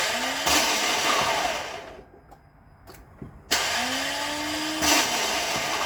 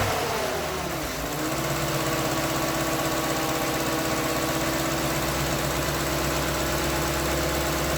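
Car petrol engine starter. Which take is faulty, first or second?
first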